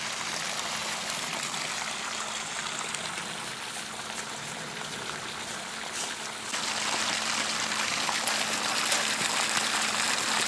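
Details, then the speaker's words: Home-bought sump pump with a hand-made glued PVC discharge pipe, pumping out a flooded pump house. Steady rushing, splashing water flow that gets louder partway through; the pump is sucking water out normally. "And it's just down in there, huh? Yep. Sucking water."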